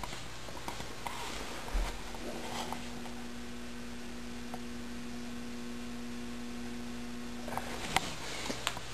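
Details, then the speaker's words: Regent 175-watt yard light with a Sylvania metal halide lamp, ballast just plugged in before pulse-starting with a grill igniter: quiet, steady low mains buzz with a fixed pitch and faint upper tone; normal ballast hum. "let's plug in the ballast can hear it humming away going to turn off the lights in my room"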